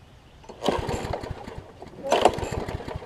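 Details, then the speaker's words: Briggs & Stratton Quantum engine on a Troy-Bilt push mower, converted from auto choke to a primer bulb. Two cord pulls each give only a brief sputter that dies. The owner suspects water in the fuel, unconfirmed: engine not firing. "think we got a little bit of water in it and so that's why it's not firing for me might"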